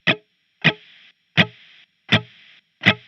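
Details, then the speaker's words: Spark Mini amp, guitar direct in, miked by a Shure SM7B with no gate, compressor or drive set: each muted strum or note drags a bright hiss that cuts off abruptly as it fades, gate-like; louder playing brings it through. "you can just hear the hiss that's going on with the amp so to start I'm just going to do some muted strums and you can kind of hear what I'm talking about"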